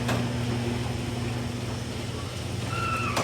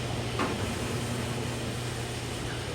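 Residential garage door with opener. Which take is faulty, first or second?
first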